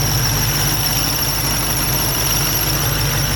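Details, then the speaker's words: 6.2 Hellcat idling with a constant high-pitched whine; one of the pulley bearings suspected to be going bad, car under warranty, not confirmed. "I mean I'm thinking it's probably just one of the bearings is going bad on there one of the pulleys"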